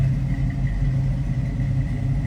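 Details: 1973 Chevrolet Camaro Type LT V8 with an automatic transmission that was recently rebuilt: a deep, even, throaty exhaust rumble at steady idle with no misses or tapping, idling cleanly and healthy.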